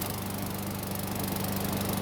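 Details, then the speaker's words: Free Murray lawn mower, a couple of years old, lightly used, oil several ounces over full, full tank of gas; first start as received, smooth steady drone with even firing, no misses or knocks, later restarted hot fine: normal running. "It started up just fine, ran great, and even started back up when it was hot."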